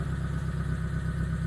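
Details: T120SS after replacing the 30 A glass fuse beside the battery that left indicators dead and the engine not cranking: steady, even low idle with a smooth rumble, no misses, knocks or ticks; normal idle.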